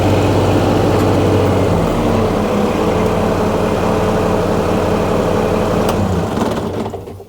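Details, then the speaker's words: John Deere 2210 sub-compact tractor, Yanmar diesel, 651 hours, after Amsoil oil and filter change, run about a minute before hydraulic check; even quick diesel chatter at steady idle, no heavy knock, then winds down; healthy. "you can hear I've got the John Deere 2210 running and it purs great now actually with this yanar engine I can tell when it needs an oil change by the sound of it"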